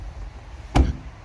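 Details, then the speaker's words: Mazda6 Gen3 passenger door slammed after the hollow-door "bong" fix, with the door reassembled: a single firm, dull, short thud with no ringing afterward, over faint traffic; the bong is gone. "Much better, no more bong. I hope you can hear that over my traffic noise. Even if I slam it really hard, no more bong."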